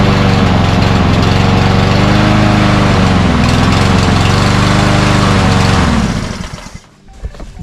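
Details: Cub Cadet self-propelled walk-behind mower, primed three times, before carburetor cleaning: runs hard about six seconds, then sags and dies once the prime burns off; lacks power; fuel starvation, clogged pilot jet or emulsion tube suspected.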